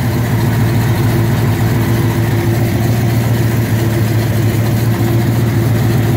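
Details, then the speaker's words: 1967 Corvette 427 V8 with 13:1 pistons, after an earlier flat camshaft: lumpy, uneven idle at about three to four pulses a second. Noise began on the last drive home; bottom end suspected, rod bearings to be checked. "so man i hate to say it the last drive i took that 427 out on on the way home it started making some noise it sounds like from the bottom end"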